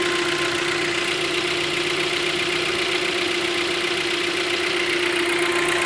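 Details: Hyundai Creta 1.6 engine running: steady light even tick and constant tone, the characteristic noise of this car in the morning, normal operation, not a fault.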